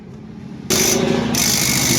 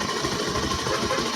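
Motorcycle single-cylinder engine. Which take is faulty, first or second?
second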